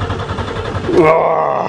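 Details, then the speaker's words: Buick Regal after sitting over winter, new battery installed: starter churns evenly at about seven pulses a second but the engine never catches and no fuel pump is heard; crank no start. "I don't hear the fuel pump has anybody been in here"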